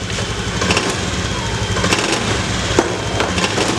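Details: Honda Beat FI injection scooter, hard to start with weak fuel spray: small single runs with steady even putter, no misses or stumbles; idling normally again and revs freely.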